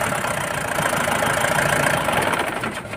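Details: BS4 common-rail diesel with codes P171A/P1B87 that cut-cut-cut after starting due to poor rail pressure; injectors fine, rail pressure sensor fixed: steady even idle, no knock or misfire, smooth run tapering off at shutdown.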